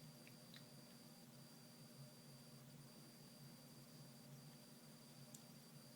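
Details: Surface Pro 4 (i5, 8GB, 256GB Samsung NVMe SSD) on battery, phone mic at top of device: faint steady high-pitched coil whine over low hum with small clicks, volume changing with on-screen content and touch.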